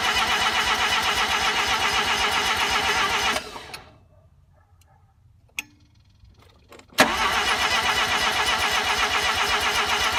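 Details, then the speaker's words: RX-7 first start attempt: even cranking at about four turns a second, stopping and restarting without firing. The ignition timing was way off; the owner first suspected no spark. "so last night was a little bit of a failure for starting in the car it turns out that my timing was way off and I thought that I was just getting no spark which made no sense"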